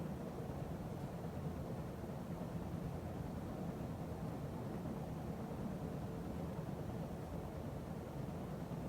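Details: 52" Emerson Heat Fan ceiling fan dated September 1980, at maximum speed after bearing replacement and blade balancing: steady even whoosh, no clicking or bearing rumble, slight remaining wobble, occasional solid-state control buzz; normal running.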